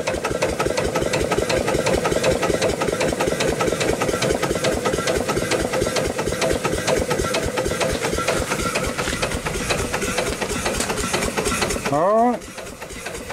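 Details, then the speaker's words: Old upright steam engine repaired after sitting for years, running on about 30 psi, first run in perhaps 80 to 100 years, rope seals not yet fitted: even regular chuffing with steady hiss and no knocks: normal running. "do more to it but for now it is running it's running pretty good first time in probably 80 or 100 years it's hard to say"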